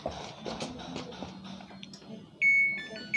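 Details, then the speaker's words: Samsung Eco Bubble 6.5 kg washing machine that was totally dead, after power-supply repair with an NTC added in parallel with the relay: quiet clicks, then two clear start-up beeps as the board powers on normally. "Nah, sudah bisa nyala. Jadi info untuk teman-teman, kalau ada Samsung seperti ini, mati total, tidak ada pergerakan, relaynya nggak hidup, berarti power supply-nya."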